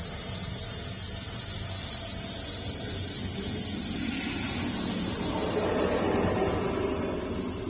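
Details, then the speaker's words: Isuzu NPR/NRR cab-over, 5.2 diesel, derate and loss-of-boost code, charge system pressurised to about 17–18 psi with test kit, engine off: steady high hiss from a slightly leaking hose clamp; charge air cooler and pipes otherwise fine. "It's leaking a little bit on that clamp right there, but all of this and the charge air cooler seems fine."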